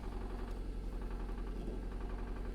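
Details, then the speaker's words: Low, dull, regular knocking beneath a steady idle, repeating with engine rotation, on an auction car not started in a while, possibly a supercharged Jaguar XF where a rod problem is suspected; source not confirmed. "h oh okay that was scary for a second did you hear that yeah she hasn't been started in a while"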